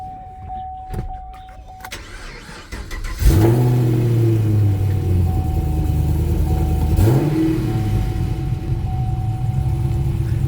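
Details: LS3 V8 in a 1968 first-generation Camaro, powered up on a jumper: steady chime, then a short crank and a quick catch into a deep, even idle with one small rev blip. A clean, normal start.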